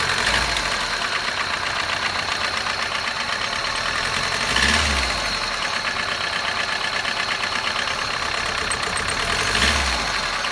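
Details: 2006 Kia Picanto small petrol engine on cold start idle, with a fast light ticking and occasional low thumps; the owner is unsure whether it is an intake manifold leak or lifter tick. Engine ticking at cold idle.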